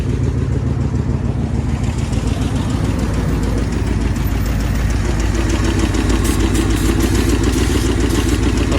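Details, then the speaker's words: 1966 Ford Thunderbird 390 V8 idling during a vacuum leak test: deep, steady burble with no change in idle, so that side is sealed. "Oh, no change. That means that side's sealed."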